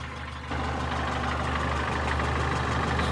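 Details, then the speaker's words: Renault Logan K7 engine at idle, knocking for about 5 years: light, fairly quick uneven tapping over the idle. Camshaft bed and rocker-shaft bolts are intact; cause unknown. "постукивает мотор уже на протяжении, наверное, 5 лет. Такой странный звук."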